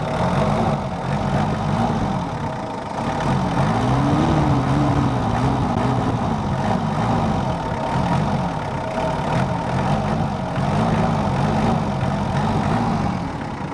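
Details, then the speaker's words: Mitsubishi Kuda diesel after injector nozzle replacement, engine still cold (68° on gauge): steady, even low clatter with hum rising and falling as the pedal moves. Smooth, not harsh, normal idle. "kalau suaranya sih saya inginnya itu tadi seperti mobil 30 tapi ternyata terlalu kasar akhirnya kita cari ini yang kita dapat suaranya halus enggak terlalu kasar atau kering"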